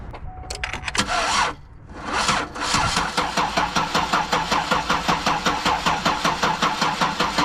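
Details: 2009 Buick LaCrosse, crank no start, battery at 2 volts on a booster pack; starter spins evenly at two to three pulses a second but engine never fires, no spark seen at waste spark coil.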